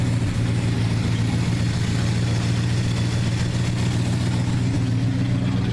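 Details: 1969 Dodge Dart V8 coming back to life, warm with thermostat open: deep, even idle with smooth rumble, lifter tapping now quieted; engine sounds good, though points may be burning; normal warm idle.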